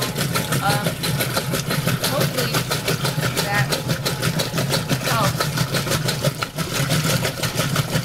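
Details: Roper washer in agitate cycle: repeating clunks about three a second, in time with each agitator stroke over the motor hum; agitator clunking, cause unknown.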